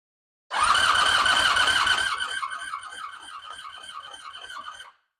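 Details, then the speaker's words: 1984 Honda V65 Sabre V4, cylinder two compression test after week-long Marvel Mystery Oil soak freed stuck rings, plugs out; brisk even cranking; compression rose from 50 to 160 psi, good compression. "Looking good. That one was on 50 before and we're at 160. So, very good."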